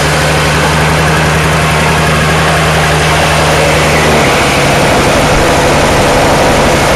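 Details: Toro two-stroke snowblower, just cold-started in two pulls: a fast, buzzy idle that wavers and won't hold steady, so it must be kept running with the throttle handle back; rough idle.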